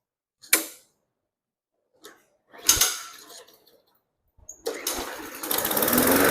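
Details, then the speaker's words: Hyper Tough 20-inch push mower after replacing a broken, partly missing blade that caused severe vibration: a couple of pull-cord tugs, then it catches and settles into an even, steady drone with no shudder; fixed, normal running. "All right, now that we've got the partial blade removed and the new blade put on there, the wheel tightened up, let's crank it up, see if it runs smooth, if there's no vibration, and make sure it's good to go."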